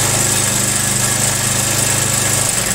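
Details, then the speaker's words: Carbureted Honda Vario 110: fast, light ticking over the idle that gets louder when revved, traced to inside the opened cover; likely a worn timing chain tensioner letting the chain slap. "Dan ternyata suara itu berasal dari dalam sini. Jika bukan suara piston, kemungkinan itu adalah tensioner atau penyetel rantai timing."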